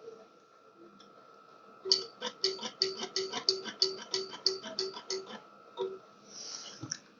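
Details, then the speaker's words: 1969 Imperial LeBaron off the road over 30 years, starter already replaced: about a dozen quick clicks, no crank. Clicking, no crank; owner suspects dead battery or old battery cable; starter solenoid was clicking. "could be that battery's dead I can hear the relay clicking"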